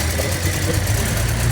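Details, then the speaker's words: Toyota Vios Dual VVT-i, fuel pump and spark plugs already replaced with no change; rough, lumpy idle with uneven low thump and stumbling beat; severe misfire at idle, cause still unknown, ignition coils and compression to be checked. "Yan, yung tunog na mga kadadudes, palyado yan. Sobrang palyado lang."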